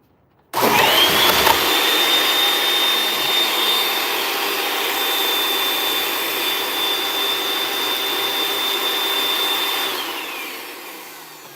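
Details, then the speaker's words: Bissell 2X vacuum with housing not sealed properly during reassembly: steady high-pitched whine with hissy airy rush; suction escaping through air leak, housing must be fully sealed and screwed down. "Yeah, my suction is escaping. Let me go all the way down to the bottom. You gotta seal this thing off."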